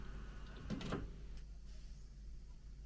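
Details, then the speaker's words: Dusty CD player with Sony test CD; brief soft whirr and click as disc loads, then faint steady spin; loads and reads normally. "That sounds healthy. That reads what's on it on the Sony test."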